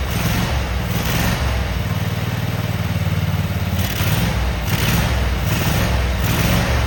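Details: Cub Cadet Super 2284 lawn tractor with electrical issues, very dirty, missing bolts, rear cover off. The test-fired engine gives a steady low rumble at even speed with a few mild surges and no knocks or misses.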